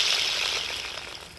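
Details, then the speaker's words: 1995 BMW M3 (S50US) belt idler/tensioner pulley, spun by hand: dry, gritty rasp fading as it slows, like a worn skateboard wheel, from a failed bearing that will eventually seize and shred the belt. "sounds like a worn out skateboard wheel at 3,000 RPM for 2 or 3 hours that pulley will eventually fail"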